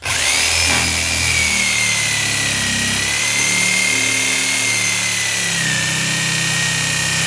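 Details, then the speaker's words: Jigsaw freehand ripping very tough, wet wood with possibly clogged teeth: steady high motor whine sags and drops in pitch as the saw bogs from pressing too hard. "You hear the saw bogging down? Okay, that's me pressing a little too hard."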